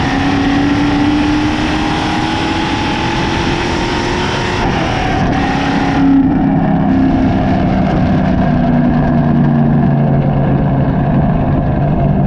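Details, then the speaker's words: SN95/New Edge Ford Mustang GT V8 with a cam, recorded by a GoPro on the rear bumper while driving after an IAC restrictor plate was installed. Pitch climbs steadily, then drops cleanly on the shift and settles, with no hanging rpm. "so all in all was it worth the just about 30 that i spent it accomplished the goal the hanging rpm is no longer there and that is why we got it"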